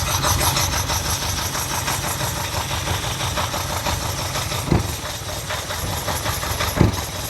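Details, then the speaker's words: 1979 Ferrari 308, first start, on choke: lumpy, uneven idle with sharp pops spitting back out of both back carbs, stumbles and won't take throttle; owner suspects oil filled into cylinders must clean out. "Yeah, you can leave it like that. It is spinning back out of both the back carbs. It won't take any throttle."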